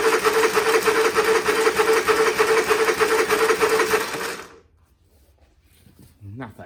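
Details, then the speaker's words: Honda EU30is inverter generator: harsh rasping pull-start cranking about three turns a second for four seconds, coughs once, no start. "try the pull St that sounds horrible well that sounds terrible Okay so we've got [Laughter] nothing that did not do anything did it um it coughed once and no more"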